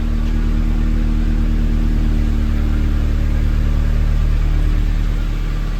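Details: Hotwired NB Miata four-cylinder with 124,000 miles, first run: steady even idle swelling smoothly when revved, no knocks or misses; sounds healthy, judged worth saving.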